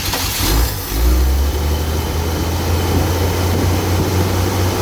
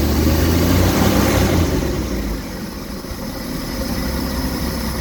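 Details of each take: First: 1967 Chevy 250 inline-six in a van, test start mid tune-up after new Ford spark plugs: cranks briefly, catches quickly and settles into a smooth, even idle with no miss or knock. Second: 1967 Chevy 250 inline-six after tune-up with plugs gapped 0.035: low uneven loping idle after a brief rev, still shaking a bit; owner plans to check timing and carb.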